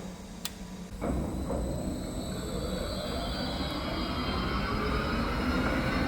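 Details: New large lathe on its first start-up, fed via a voltage converter, VFD-controlled, started in the medium speed range: motor spins up into a steady, smooth whir with faint tones slowly climbing; normal spindle run.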